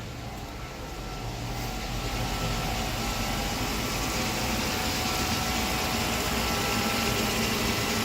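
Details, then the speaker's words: 1997 Mercedes-Benz 500SL V8 at cold idle on pre-purchase inspection, no engine lights: smooth, quiet idle with a steady cooling-fan whoosh and a slight tick attributed to the ABS unit, no misfire or knock. Runs healthy. "It does run pretty smooth. A little bit of, it's just fan noise really."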